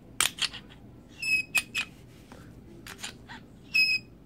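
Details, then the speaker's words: Glock 26 before Froglube treatment, dry: sharp metallic clicks with thin high-pitched squeaks as the slide and trigger move; slide won't go fully forward on trigger release. "squeaky and it won't go full forward let's I release the trigger so will squeak squeak squeak"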